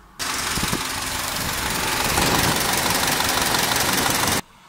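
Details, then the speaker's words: VW Golf GT petrol engine hot at idle: a fast, loud, distinct metallic ringing rattle that appeared only when warm, traced by a shop to the timing chain. Timing chain rattle at hot idle. "всем привет обнаружить вдруг что на горячую двигатель стал невелик отчетливость тычок стал появляться звонки громкий очень мне понравился вот такой"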